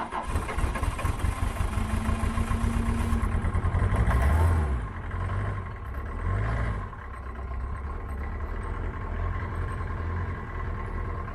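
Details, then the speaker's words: Citroen C25 4x4 diesel on cold start, very smoky: it catches on one cylinder with lumpy chugging about four beats a second, the others slowly joining. Only one glow plug has been replaced; the other three are suspected. "So I should really change the last three, because at the moment you can hear that it fires up on only one, and then the other ones kicks in slowly, but it's very smoky and all that."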